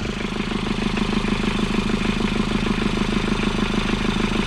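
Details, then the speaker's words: Old Isuzu P'up turbo diesel four-cylinder mini truck, sat about 28 years: steady diesel clatter at idle, even rhythmic knock around two per second with no misses; normal diesel idle after revival. "all right guys well it works yeah it's alive it's alive"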